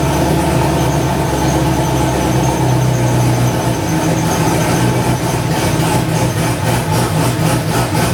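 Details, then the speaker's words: First start of a newly LS-swapped, cammed wide-body C4 Corvette (turbo build, stainless exhaust, no cat): loud, lumpy V8 idle with a steady choppy lope and no stumbling. Oil pressure is present and the air-fuel ratio is about 13.5; it runs fine. "Oh yeah, everything's fucking running fine. Air fuel ratio is up 13 and a half. Just don't see any in the fucking It runs good though. It's got a chop to it for sure."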